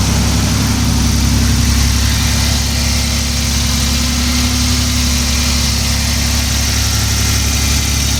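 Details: 1994 Toyota T100 V6 after the misfire fix, with the wires zip-tied into their holders: deep, even idle with a steady rumble and no stumble or miss. Smooth and healthy.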